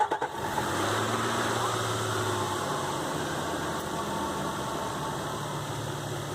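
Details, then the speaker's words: 2005 Nissan Xterra VQ40DE V6 after replacing timing chains, guides and all three tensioners (broken tensioner blamed for rattle); steady, even idle with smooth low hum, no rattle or tapping; normal idle. "So as you can see or hear, when I started it up, the noise has gone away."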